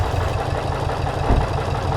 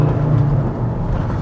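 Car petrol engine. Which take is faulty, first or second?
first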